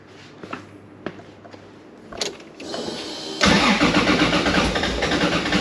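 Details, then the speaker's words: 2JZ-swapped Datsun (Nissan Prairie wagon) on E85, first start after the build, heads not done up: scattered clacks, then an abrupt catch into a loud, steady idle. The slow catch was just an E85 cold-start trait; the engine runs. "turns out Phil was just being impatient it's just an E85 cold start thing yeah it runs"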